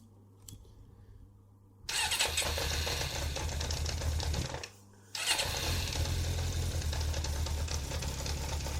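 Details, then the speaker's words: Kawasaki GPX 600R four-cylinder motorcycle, bought cheap, at idle before carburettor balancing with vacuum gauges fitted: starts, stalls briefly, restarts, then runs with an uneven, lumpy beat instead of a smooth hum; rough running, cause unconfirmed, carbs out of balance suspected. "you can see, it doesn't sound very good."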